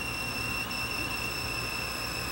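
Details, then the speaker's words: Sony VO5850 U-matic VCR fitted with a substitute video head drum, playing an old tape: constant high-pitched screech at one pitch over hiss, from the tape itself; degraded binder makes it stick to the heads and drum. Time code buzzes on one audio channel. "but that that screeching you see and that screeching you hear and that you see on the TV on the screen that's the tape itself"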